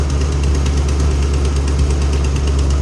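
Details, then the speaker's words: 2010 Camaro SS with BTR Stage 4 cam, cold air intake, long tube headers and Borla ATAK axle-backs: sharp rapid ticking puffs over a deep V8 idle. The header exhaust leak persists after header work; owner thinks it leaks from the back. "when we did the other headers it smoked it's still leaking but i don't i think it's still leaking from back"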